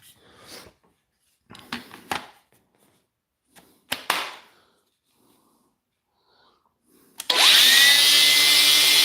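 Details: Makita DGA452 angle grinder after repair: following handling clatter, motor spins up at once to steady, even high whine with no grinding or stutter.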